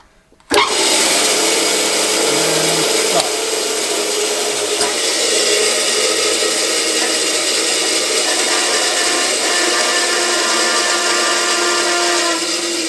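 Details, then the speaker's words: Bandsaw refitted with a 1.5 kW (2 hp) three-phase motor: it snaps on to a steady smooth hum, then after switch-off winds down slowly and evenly with no rubbing or knocking. This is a healthy run; the long coast-down, much longer than the old motor's 5–10 seconds, is normal. "when you turn the saw off, it takes a while for this thing to spin down. I almost want to put a brake on it somehow."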